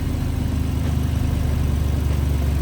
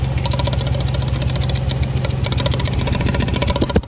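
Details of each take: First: Ford Explorer V6 after misfire repair on cylinders one and two, codes cleared: engine restarted and now idles evenly and steadily with no stumble or missed beats, running smoothly on all cylinders; normal idle. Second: Ford Explorer V6 rough, uneven idle with a lopsided pulse and stumble; misfire on cylinders 1 and 2, spark present on both, injectors swapped, compression test planned, six plugs and coils to be replaced.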